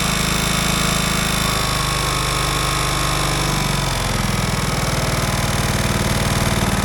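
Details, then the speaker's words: Craftsman DLT 3000 riding mower running at a choppy idle with a thin, high whine. The owner suspects a worn starter Bendix drive and plans to swap the starter, unconfirmed. "So, it is making a little bit of a weird noise. And I did notice the Bendix on that starter. Um, I wasn't that thrilled with it."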